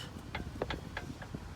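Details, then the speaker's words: Jeep Patriot with a cheap aftermarket outer tie rod end, thought to have been fitted about a year ago, wheel on the ground rocked sideways by hand: a few sharp, irregular clunks from the worn tie rod end. "this is what a chip aftermarket tire rod end sounds like I'm just pulling it sideways yep while it's on the ground and you could hear"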